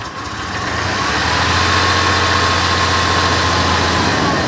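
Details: Chevrolet Blazer at idle with an uneven, lumpy pulse underneath and a faint high whine on top; owner is troubleshooting a rough idle, cause not yet clear.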